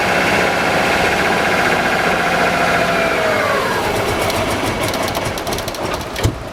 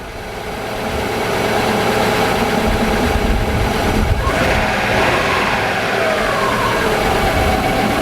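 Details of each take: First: Subaru RS Liberty AWD turbo manual parked for 10 years, with fuel poured into the throttle body: catches, runs a few seconds, revs sag, then dies; runs only on intake-fed fuel, injectors suspected stuck. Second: Subaru RS Liberty AWD turbo, after sitting 10 years, idling once the injectors were working, AC switched on: steady turbo-four idle, compressor clicks on about four seconds in with a slight load change; normal idle with AC compressor engaged.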